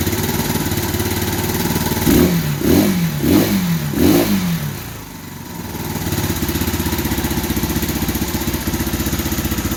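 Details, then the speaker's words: 2015 Bashan Storm 250 single: blips throttle, revs sag and nearly die, then recover to a lumpy idle. Engine keeps cutting out; owner believes the spark plug is bad or corroded, wiring possible; not confirmed. "i believe the spark plug is just really bad that's why it keeps kicking out like that"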